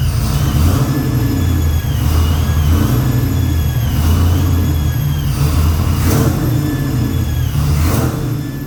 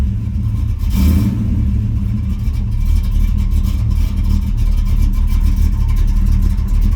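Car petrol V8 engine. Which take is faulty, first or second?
first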